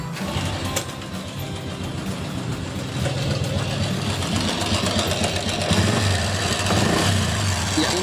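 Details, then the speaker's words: Honda Revo Absolute motorcycle idling, rough noise from the front of the engine: clattering rattle suspected to be a loose cam chain (rantai keteng), which is then dismantled and replaced. "suara berisik di mesin packing depan ya ini diperkirakan suara rantai keteng nanti kita cek lagi"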